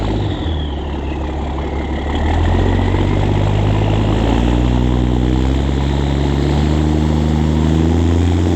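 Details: 2004 International school bus conversion with a 2002 DT466e 7.6L inline-six turbo diesel, pre-emissions, after muffler removal. It cranks, catches and settles into a loud, deep, unsilenced droning idle.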